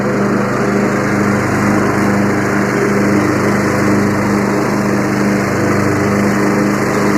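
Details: Free Yard Machines 20 hp riding mower with 42-inch deck, starter working when the battery is applied directly, blades engaged: steady, even single-cylinder drone with smooth blade whirr; runs healthy with deck engaged.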